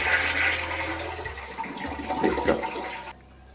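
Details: Toilet cistern after float shutoff valve repair, flushed by hand: strong rushing flush for about three seconds, then quiet refill hiss; flushes and refills normally, though the rubber flapper still drips and needs replacing.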